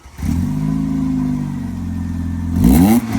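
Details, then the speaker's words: Quantum kit car engine: smooth idle, then a quick throttle blip climbing cleanly with a crisp intake rasp and dropping back; hydraulic tappets ticking lightly, runs well; normal rev. "oh beautiful mate I love it it runs a treat don't it the old the old hydraulic tap it's having a little kiss away there loveely"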